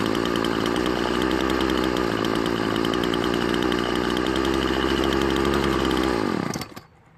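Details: Poulan Pro trimmer two-stroke after fixing a carburetor diaphragm gasket fitted on the wrong side: holds a steady, clean high buzz for six seconds, then winds down smoothly. Normal running after repair.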